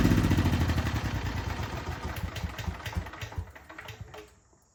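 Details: Small single-cylinder generator after pull rope replacement, unrun 6 months, started first pull; steady even thump before winding down; healthy running.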